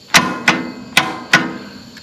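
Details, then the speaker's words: Riding mower with no-start: key turned gives sharp single solenoid clicks a few tenths of a second apart, no cranking; only 7.3 V DC at solenoid wire versus 11 V at battery, about 4 V lost at connections. "and you can hear just that click and when you hear that of course we want to be on our little wire here and turn it and look at our voltage and got to be on DC volts okay DC and on and I've only got 7.3 volts where up at the battery I've got well I'm still reading 11 so I'm losing between here in here basically 4 volts"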